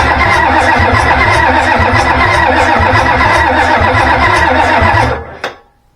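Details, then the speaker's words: Ford 7.3 IDI diesel from a 94 F350, run out of the truck with a new turbo-spec injection pump and injectors, lift pump on, lines loose for bleeding: steady cranking, about four compression pulses a second, no firing. The fuel solenoid was off. "Hey, we got to turn the fuel solenoid on."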